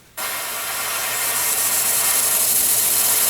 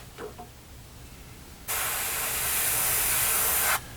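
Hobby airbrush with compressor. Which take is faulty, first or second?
first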